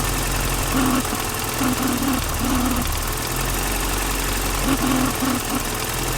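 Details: BMW E30 with idle issue, new distributor cap, rotor and O-ring, heard through a screwdriver on the distributor: steady idle hum with faint regular ticking from the distributor.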